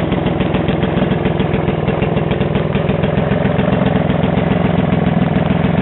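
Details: Vintage Atco Standard 24-inch lawn mower, first start after 20 years storage, after unseizing and restoring spark: steady idle with a sharp regular puffing crackle, three or four a second, from an exhaust needing repair.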